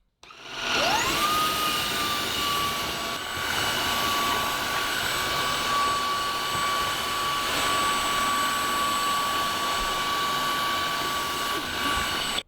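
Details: Cordless wet-dry floor washer, about a year old, cleaning a kitchen floor: steady high motor whine spins up within a second and holds even with a smooth airy hiss; running normally.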